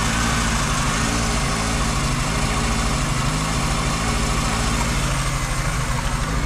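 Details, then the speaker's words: VW Golf 2 carburetted engine at cold idle on choke, with top end that usually clatters when cold: steady, even low rumble with no ticking or clatter, lifters quiet; normal cold idle. "moi petite technique c'est de faire starter ouvert starter ouvert jeavais démarré ce matin et là il a pas l'air de claquer"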